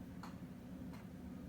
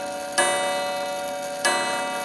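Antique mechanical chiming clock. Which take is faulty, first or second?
second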